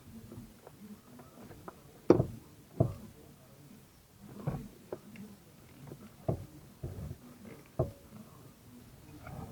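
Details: 2005 Toyota Corolla E120 steering column turned by hand, removed from car: irregular dull knocks one or two a second from worn electric power steering worm-shaft bearing, previously replaced, and loose bushing.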